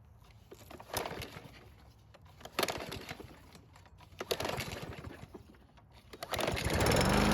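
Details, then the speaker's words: Free Troy-Bilt push mower with auto choke that would not start on the rope: after priming the carb with fresh gasoline, a few sputtering bursts then it catches and settles into a steady, even drone; normal running. "So what just happened was that we were able to get it to start and run by priming the carb with some fresh gasoline."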